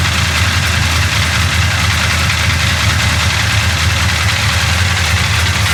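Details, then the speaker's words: 1966 Chevy Impala 427 big-block V8 at idle after a slight timing adjustment, running better: steady deep idle with a light quick ticking chatter that comes and goes, thought to be from one side; valve chatter at idle. "You hear that chatter coming back? It comes and goes."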